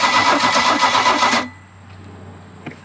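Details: 1986 Larson V175 Seneca ski boat engine, jumper battery added after spinning freely by hand: cranks about 1.5 seconds with slightly uneven loping beat, never catches; owner hopes nothing's hurt, cause unconfirmed.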